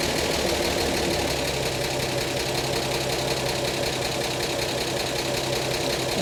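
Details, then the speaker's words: 1952 Chevy Styleline straight-six after replacing the pump-to-carb fuel line and cleaning the fuel pump and carb needle: fires right up and idles smoothly with a soft, even beat. The carb bowl still leaks fuel. Normal idle. "oh it fired right up but of course not having any gas in the uh in the line from the pump up to the carb probably was our issue here"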